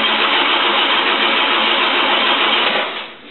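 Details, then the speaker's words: 1951 Chevy 6-volt system, hot engine, cranking on starter button with ignition off after replacing rusted, worn starter brush springs and brushes: brisk even cranking, about three to four compression beats a second, no dragging; healthy starter. "this is what a properly set up 6V system will sound like when it's turning [Music]"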